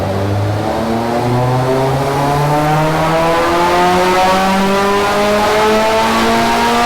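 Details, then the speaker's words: Ford Sierra XR4i with a big-turbo Honda S2000 F20C swap on the dyno, full-load pull after removing a clutch pedal stopper suspected of causing slip. One smooth rising howl with no rev flare. The run made 297 hp. "so let's see what happens when we actually put it under some proper load fingers crossed this is the solution"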